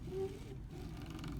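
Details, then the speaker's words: Prusa i3 MK2 X-axis moved by hand: smooth until one spot, where it turns rough, pebbly and hard to move with a low gritty rumble and irregular clicking; cause unknown, owner doubts it causes print cracks. "Like a clicking, rumbly sound. So that doesn't exist for the rest of it. It'll hit there, and like the moment that sound happens, it gets all rumbly and hard to like move."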